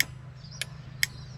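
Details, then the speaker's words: Ford XA Falcon after indicator switch and flasher relay replacement, wiring temporarily connected: crisp sharp ticks about every half second over a quiet background; indicators now flash normally. "we got a working indicator switch."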